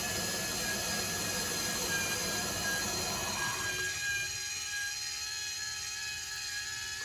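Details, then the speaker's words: Water softener control valve with 9 years of salt-water drip, the ~10.5-minute fresh-water rinse after the brine skipped: steady electric whir with a thin whine as the motor advances to another apparent rinse/backwash state. Normal. "hear that motor running again. Now it's in another, I don't know what this one's doing."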